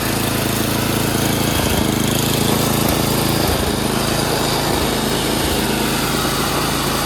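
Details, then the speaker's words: Craftsman 928 dual-stage snowblower, 9 hp Tecumseh engine, after carburetor cleaning (jets cleared) and a quarter-turn governor/idle adjustment for surging: loud even full-throttle drone holding one pitch with no rise and fall; normal full-throttle running without surging. "Quarter turn on that, so now the RPMs are faster. That's idle. And as you can see at full throttle, no surging."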